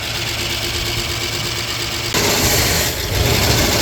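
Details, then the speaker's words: 1958 Oldsmobile barn find V8, first startup after long storage on a temporary fuel tank: settles into fairly steady throaty idle, even firing, then picks up slightly; runs clean and healthy, sooty exhaust. "She's fully running off of our little fuel tank setup. Sounds good."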